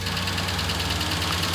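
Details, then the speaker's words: 1998 Ford Ranger 4.0 L V6, 62,000 miles, out of service about a year, at steady idle with a fast, even chopping tick-knock; location unidentified, could be top, bottom or middle. "It's steady chopping, ticking, knocking. I really can't identify where the sound is coming from, but it's steady."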